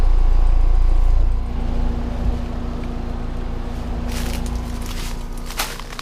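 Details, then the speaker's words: New Trane XR outdoor air conditioner in Fairfax, VA, installed this year replacing a noisy Carrier Tech2000, running after startup: steady low compressor and fan hum, even and smooth, much quieter than the old unit; normal running. "and I actually like it because it's so much quieter than the other one pretty much sounds like a train the noise level of this unit compared previous one"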